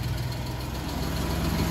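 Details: Suzuki Multicab F6A after crank-no-start repair: shorted fuel pump kept blowing ignition coil fuse, pump replaced: steady low idle rumble, even, no stumbling; normal idle.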